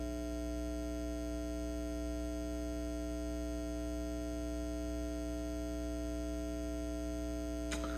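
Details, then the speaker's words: Carver TFM 4.0 Magnetic Field power amplifier: a steady low mains hum with buzzy overtones continues even after power is switched off. Changing speakers, a power line filter and other components didn't help; thought to need a recap, cause unconfirmed. "it's still going on even though i had the power switched off that's crazy"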